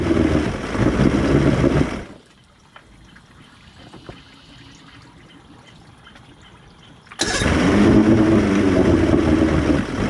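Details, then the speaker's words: Boat outboard with new fuel pump, on water bucket: runs rough at throttle, then dies slowly when returned to idle, silent about five seconds, then restarts readily; stalls at idle, cause unconfirmed. "When I try and put it back to idle, it just slowly dies and kills. And then I'll crank it again, and it seems like it cranks right up."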